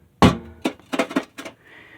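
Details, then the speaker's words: Used lawnmower exhaust muffler shaken by hand: irregular metallic clanks with a brief ring from a loose internal baffle rattling. Its factory seams are also separating and leaking exhaust, though it is not as bad as some. "now this one's not quite that bad um i think what the main issue is you can hear it rattling"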